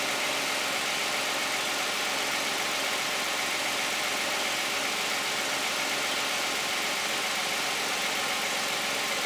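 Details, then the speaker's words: 2010 Toyota Camry 3.5 V6, 93,000 miles, Pennzoil Ultra 5W-30 synthetic with Wix filter, after a cold start: steady, even idle with a light, fast valvetrain tick, no knocks or misses; fairly quiet, normal. "Now we're gonna hear it with the hood closed, like normal people would hear it. Thank you. I think it sounds pretty quiet."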